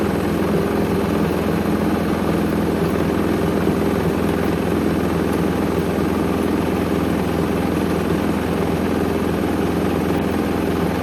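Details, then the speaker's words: Hoover Link HL1682D3 washing machine, previously wrecked, twisted door seal, on spin: extremely loud constant drone with loose, uneven clatter throughout; whole cabinet rattling. "I I think we get the message it works that's Extremely Loud honestly I was he's quite insane um I could barely hear the mic I could just hear the whole machine just rattling"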